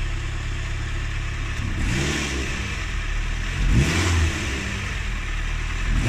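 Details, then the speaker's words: Renault Twingo (project car) after cleaning the MAP sensor and intake with carb cleaner: engine note climbs in gentle, even revs over a low rumble, no stumble; smooth acceleration, no longer stalling though slight hesitation/judder remains, throttle body clean next. "Yeah, nice smooth acceleration is fine."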